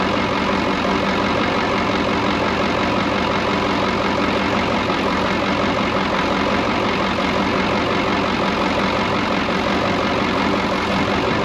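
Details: Brockway 358 truck, Cummins 555 diesel, after valve adjustment and tightening loose injectors and intake valves: steady even idle clatter, no misses or stumbles; running smoothly, much better than before.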